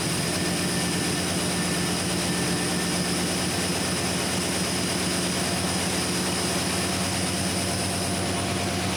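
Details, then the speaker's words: 1972 Chevy C10 at its first startup after a Carb Cheater install: a steady airy hiss over an even idle. The owner suspects a serious vacuum leak; it then seems fine, and AFR reads 10, quite rich. "Know what that was, but it sounded like it had a pretty serious vacuum leak. Now it seems to be doing all right."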